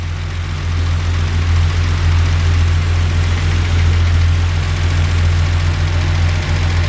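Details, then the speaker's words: 1982 Datsun 280ZX at 90,159 miles, first winter start after sitting, battery weak, new ceramic-coated header and straight 2.5-inch exhaust, K&N intake, recorded partly inside the garage: deep steady idle burble with a light tick three to four times a second; valves sound like they need adjusting. "The battery's a little weak from sitting. Wow, that's amazing. Okay. Sounds like the valves need adjusting."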